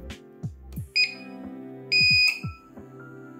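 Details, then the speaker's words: 15-year-old APC UPS that would not turn on, after board repair and battery reconnection; short high beep then a longer steady beep as it powers up normally and self-tests. "so guys finally this UPS is fixed so let's turn it on and give it a test it's turned on now it's testing"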